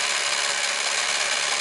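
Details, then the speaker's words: Sankyo EM-60 XL Super 8 cine camera drive running: fast, even, high whirr holding steady with no catching or slowing; runs normally. "okay that's 18 frames per second this is 24 frames per second and this is 36 frames per second"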